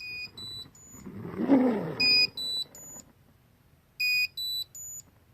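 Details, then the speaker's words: Ridgid 18V Octane Bluetooth battery on the charger: short rising three-note electronic chirps about every two seconds, the app-triggered locator ringtone; battery locator alarm. "right so it'll still notify you with that ringtone the location of the battery"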